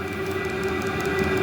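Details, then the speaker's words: Newly installed fuel-fired heater running before a muffler is fitted: steady roaring hum with fixed high whistling tones; loudness suspected to come from the exhaust, and adding a small muffler quiets it. "noisy I hear it of course wonder if the exhaust oh man well that quiets things down a bit"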